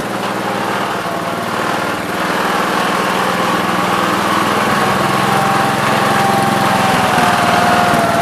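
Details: 1969 Gravely 432 single-cylinder engine, next morning at about 15 degrees, driving after carb float level fix; steady even beat with no misses or surging. Normal running.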